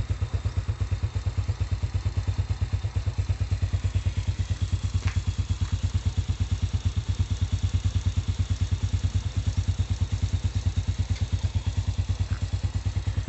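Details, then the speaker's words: Honda Supra/Astrea-type engine after repair of a loose camshaft seat: even, steady low putter at idle with regular firing pulses and no tapping or rattling; running smoothly and healthy. "Sekarang sudah halus. Tuh, suaranya adem banget."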